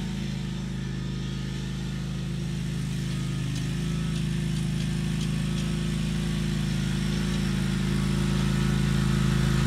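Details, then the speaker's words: Scag 48" FS 541 V zero-turn walk-behind mower restarted after an oil change: steady, even low drone building slightly as throttle rises, no knocks or misses. Runs smooth and healthy, sounding much better. "oh my god it sounds so much better"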